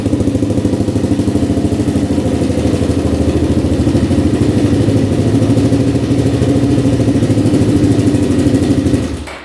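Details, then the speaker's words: 2003 Kawasaki KFX400 four-stroke quad: steady, even single-cylinder fast idle, no knocks or misses; oil confirmed pumping through engine. "Sounds good. Sounds really good."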